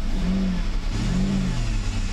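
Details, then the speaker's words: Mercedes 600SL V12 accelerating with its E-gas throttle control module under test before a throttle body rebuild (throttle wiring found shorted). Smooth, even rise in engine note with no stumble or flat spot; the E-gas works and acceleration is normal. "acceleration I don't see any issues feels good to me"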